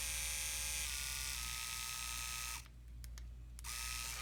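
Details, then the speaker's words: Andis Excel 5-speed clipper after repair and reassembly, plugged in: steady, even high-pitched motor buzz, cuts out briefly and restarts smoothly, no rattle or knock; quiet, normal running. "I love this clipper. It's a beautiful, beautiful working clipper. It's quiet."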